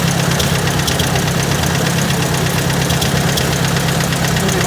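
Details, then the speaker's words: Truck with a trailer hooked up, no visible leaks: light, quick ticking rides over a steady idle without changing; the owner suspects a valve tap, probably out of spec, with the cause unconfirmed. "Sounds like a valve tap, and it's probably out of spec."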